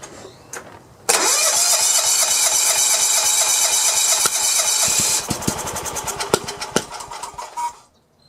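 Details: John Deere 170 with Kawasaki FC420V that now has spark: starter cranks with fast ragged chuffing and sharp pops but won't start, backfiring out of exhaust and carburettor; flywheel key suspected.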